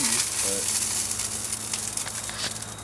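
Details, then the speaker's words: During vapor phase soldering, water heated past 100 °C gives irregular crackling pops, about three a second, over a steady sizzle. Vapor bubbles collapse as they reach colder water; this popping was not heard the previous weekend, when the water only reached a slow roll. "yeah it's the bubbles are collapsing and that's why you're hearing the popping sound we didn't hear the popping sound last weekend"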